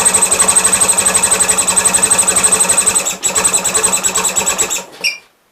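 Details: Gravely 450 with Onan CCKA twin, running a little rich: sharp tinny clatter about eight beats a second until shutdown; owner suspects compression escaping or pistons, starting to doubt cam bearings; unconfirmed.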